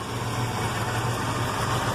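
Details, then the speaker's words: Ford 460 V8 with rebuilt Holley 4180 carburetor running rich: deep rumble idling very slowly and unevenly, near stalling, would die in gear; probably no vacuum leak now, idle too low. "it's running really slow so I'm thinking I probably don't have a vacuum leak anymore"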